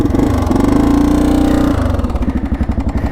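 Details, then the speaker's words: 1984 Honda XL350R single-cylinder dual sport idling with a loose, uneven top-end clatter; worn cam chain tensioner, which the previous owner says has sounded like this for a long time; repair planned for winter. "Okay, so you hear that noise. But the camshaft tensioner is no bueno on this thing."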